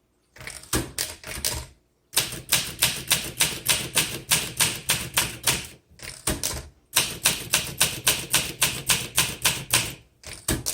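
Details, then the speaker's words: 1963 Olympia SM7 manual typewriter typing: crisp, bright keystrikes at about three or four per second in bursts with short pauses, clean and even, "sounds like a newsroom"; normal operation. "It just sounds like a newsroom."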